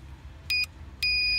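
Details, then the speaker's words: Land Rover Discovery Sport towbar wiring test through a bike rack on the trailer socket: two clean high-pitched beeps, one short and one longer, pulsing with the right-hand flasher; indicator signal comes through via the green wire. "the beeper going just hold it in bit better then you hear the beat is going and he needs the right hand flasher is flashing so we can now connect that permanently"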